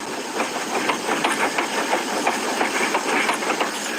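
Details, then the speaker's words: Car front end, engine running: rough hissy run with a loose knock about three times a second; owner suspects a tie rod, not confirmed; front end knocking noise. "whatever the issue is is actually there let me figure out what it is that sounds like a tie rod"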